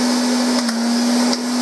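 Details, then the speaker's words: Hoover Constellation cylinder vacuum cleaner, plugged in already switched on. A smooth, even motor roar with one steady mid-pitched hum and no surging or rattles: a healthy motor running normally. "what i'll do first i'll plug it in and then you can have a listen to it and see how good it is well i think it's good there we go"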